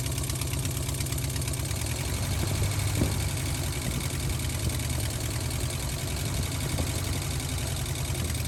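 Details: Vintage C30 RV V8 at idle after replacing bad exhaust manifold gaskets: deep, lumpy idle with an uneven knock running through it. Rough knocking idle; owner suspects a bad valve, not confirmed.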